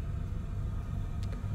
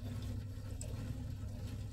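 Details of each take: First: Oil-fired boiler on an old gravity hot water system, after unblocking the cold feed pipe: smooth, even low burner rumble with no gurgling, banging or surging; running normally. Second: Old oil-fired gravity hot-water heating system with no hot water: steady deep rumbling and gargling from the boiler, overheating and kettling, here caused by a blocked cold feed pipe; boiler kettling from overheating.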